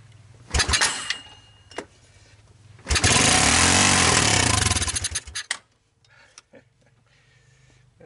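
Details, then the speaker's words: 1986 Honda TRX200SX ATV after the carburetor replacement, pull-started with starting fluid: a few sharp pops and a brief ragged burst of firing that dies again; there is some life but no sustained running, and no smoke seen. "well i think i've demonstrated that there's some life dave i hope i did a little hop for you there i didn't notice any smoke"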